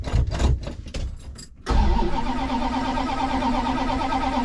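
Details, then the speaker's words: 1965 Plymouth Satellite after sitting a while, given about four accelerator pumps and no choke: uneven, stumbling cranking bursts, then it catches into a rough idle. Hard starting; owner suspects he flooded it. "Come on, girl. I don't have jumper cables, probably flooded it."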